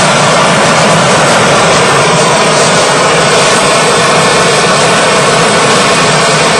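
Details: DIY gas jet turbine go-kart built around a turbocharger, diesel-fuelled afterburner, idle about 22000 rpm: steady continuous rushing roar and hiss with no pulsing or throb; normal smooth running.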